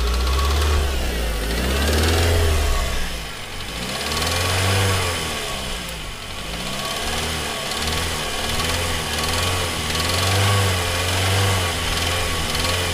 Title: Real spun bearing